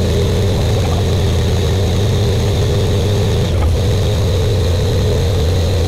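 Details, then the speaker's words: Buick Grand National freshly rebuilt engine, first start during cam break-in, run for 10 minutes, no thermostat: even, steady fast idle with a smooth low drone, no knocks or misses; good oil pressure, temperature rising. "all right we're still breaking it in we got good we got good oil pressure temperatures starting to come up and that temperatures with no uh thermostat in"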